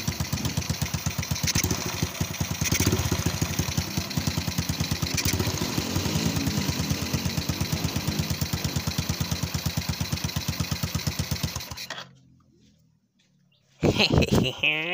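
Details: Honda Absolute Revo single-cylinder motorcycle after reviving a dead spark plug with stranded wire: settles into an even, steady putter at idle for about twelve seconds before shutting off; runs clean and healthy.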